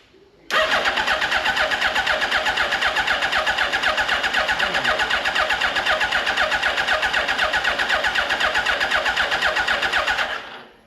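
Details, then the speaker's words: 2005 Suzuki Hayabusa (EFI, with choke), abandoned about five years, good battery, fuel pump heard priming: catches at once and settles into an even fast choke idle at about four pulses a second, a healthy start. "We build pressure and starts. Now, if you don't know this, the Suzuki Iver is one of the very few EFI bikes that has a choke."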